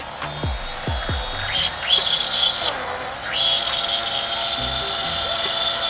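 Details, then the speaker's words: Blender crushing ice with sweetener for a smoothie: a few low thumps, then high gritty whine dipping and recovering as ice loads the blades; normal grinding. "You hear that thing there? Just grinding on up."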